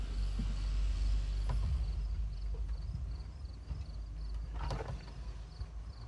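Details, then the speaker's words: 1960 Jacobsen push mower, small two-stroke, rescued from scrap after sitting many years, fired on one pull; putters along at a steady, even beat with no stumbling or dying out, running healthy. "I think that's pretty cool that we got the old Jake to run. Sitting all them years. Pretty amazing."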